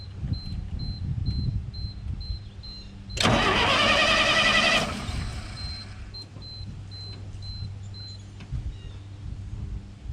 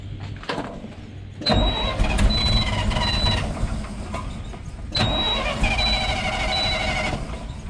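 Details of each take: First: 1968 GMC C60 truck that has sat unrun for an unknown period, first crank with no fuel added: the starter turns easily at about four turns a second while a chime beeps, and it never catches; choke appeared stuck. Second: 1968 GMC C60 truck that had sat for an unknown period, non-running, varnished fuel: starter cranks the big engine smoothly with a steady, even rhythm, no hesitation, drag or grinding; normal cranking.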